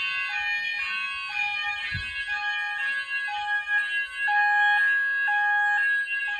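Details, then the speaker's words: Apollo XP95/Discovery addressable house fire alarm system covering upstairs, with evacuate pressed. Repeating loud two-tone electronic warble from the sounders: normal evacuate tone. "we're going to see what it sounds like with the rest of the house we're going to press evacuate now"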